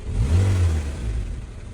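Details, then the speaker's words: Honda Civic FD 1.8 K20 after throttle body cleaning, warm engine: idle was over 1,000 rpm and swinging; after HDS reset and throttle relearn, a quick blip falls back smoothly to about 750 rpm without surging or hanging. "อ่ะลงมาไม่เด้งไม่ค้างแล้วนะครับนี่ครับรอบเดินเบาอยู่ประมาณ750บวกลบโดยประมาณนะครับ"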